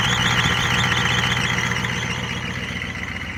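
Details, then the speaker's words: 1988 Ford F250 6.9 IDI diesel at fast idle just after a no-start fix by cleaning the battery positive strap connection: steady even clatter, regular rumble; normal diesel idle. "You got to love the old IDI rumbling. It's popping along like that."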